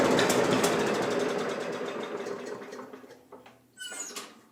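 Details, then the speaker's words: Free Craftsman push mower that previous owner said just stopped running, run on primed fuel with no fuel in the gas tank: pops along at about four beats a second, then fades and stutters out; fuel starvation. "it's not like i wanted to keep going although there's no fuel in the gas tank"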